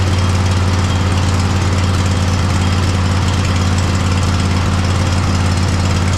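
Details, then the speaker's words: Poulan mud mower V-twin after plugs reconnected during service: low chugging idle with an uneven, stumbling beat about twice a second, still misfiring; fuel/air issue suspected, as happened last year, carburetor to be removed. "Nope. Still kind of misfiring. All right. So, that's going to be carburetor take-off gig."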